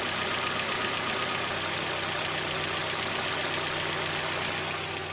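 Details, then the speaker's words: 1992 Mazda Miata NA at idle, distributor loosened and rotated back to retard timing to stock: even idle of about four beats a second sagging slightly as the idle drops from retarded ignition timing. "rotating it back and you hear the engine slowing Out means your timing"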